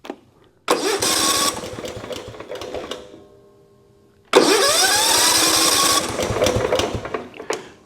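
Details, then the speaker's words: John Deere L110 lawn tractor, over 20 years old, with a no-start problem; cranked with the throttle not up and no choke. Two long cranking bursts with a few half-catches, but it never fires. Cranks but won't fire. "So, that's awesome. It actually sounds like it wants to start. It didn't fire, but it was doing more than just simply turning over."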